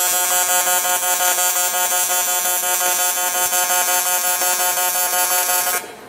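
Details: TIG welder in pulse mode on a junkyard barrel project, metal not cleaned or brushed: a loud, steady, high buzz holds evenly for several seconds, then cuts off; a normal, healthy pulse-mode arc.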